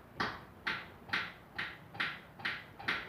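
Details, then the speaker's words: Chevrolet Niva: sharp hollow knocks about every half second when turning the steering wheel, from a loose steering box mount knocking on a cracked frame member; the power steering pump was suspected first but ruled out. "Когда поворачиваешь руль, что-то стучит. Ребята, в рулевом управлении появился характерный звук ."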